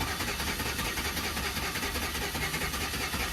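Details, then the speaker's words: Chevrolet Suburban, fuel pump recently replaced and now staying on constantly, run in clear flood mode: uneven, slightly stumbling beat two or three times a second under hiss; slight misfire, not diagnosed. A bad mount is also noted. "This does have a misfire, a slight misfire, so I just want to do a clear flood mode, see if I hear anything weird."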